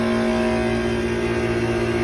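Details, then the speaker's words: Air conditioner outdoor unit running on a triple-digit-heat day: steady electrical buzz as the condenser fan motor strains but won't turn, caused by a failed run capacitor. "kind of that buzzing noise the fun is not turning"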